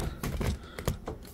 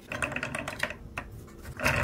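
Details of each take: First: 3D-printed turbocharger spun at full power: sharp uneven plastic clicks over a faint spin; two gears suspected not meshing properly, gear sitting 1–2 mm too low, grease added afterwards. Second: 3D-printed turbocharger test rig at full power: light fast plastic whirr with soft clicking from the meshing gears, which sit slightly too low for a perfect mesh; much smoother after greasing.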